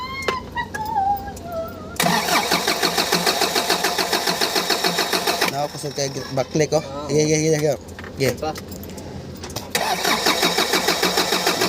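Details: Bongo 3 with a hard-starting complaint; the starter churns in a steady rhythm of about three and a half strokes a second for long stretches, and the diesel is slow to catch: hard starting, long crank.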